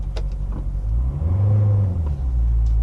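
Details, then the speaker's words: Corvette automatic shifting into gear at idle: the idle drops, then a late low thump as the gear catches about a second later. Delayed engagement from park to reverse, park to drive and reverse to drive, worse when freshly started after sitting. "yeah so the issue that I'm having is that when you shift either from park to reverse or park to drive or reverse to drive there's definitely a hesitation or a lag it's a delayed engagement of the gear"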